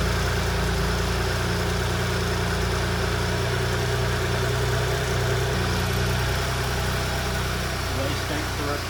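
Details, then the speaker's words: 2019 Porsche Cayenne S 2.9 V6 twin-turbo, first start after replacing a seized rocker arm that was tapping on the camshaft: a steady, smooth idle with no more ticking or tapping. "Sounds all right. So, the SQ SQ5. So, the Porsche Cayenne S is back on the road. There's no more tapping uh coming from the engine"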